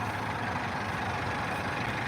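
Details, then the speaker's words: Detroit diesel truck just started at idle: steady, even low rumble with no stumble, no smoke, only a little blow-by; normal diesel idle. "Little blow by for you though. Got a little blow by, No smoke, no joke. Not only no smoke, no joke, but she turned."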